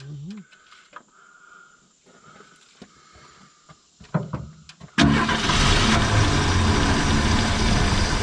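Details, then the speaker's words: 1970.5 Ford Falcon after sitting 28 years: catches and runs rough and uneven only while fuel is hand-poured; not picking up tank fuel, fuel pump suspected. "There it goes. Oh, almost. He hasn't picked it up yet. Yeah, running. Runs good too. She ain't picked her up yet."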